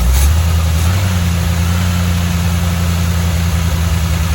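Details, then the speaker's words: 1985 Chevy C10 305 V8 with Quadrajet, just after a slight clockwise distributor twist, smoking at idle; deep, uneven, lumpy idle with no steady beat, still flooding and running rich. "still flooding down man still not there yet y'all"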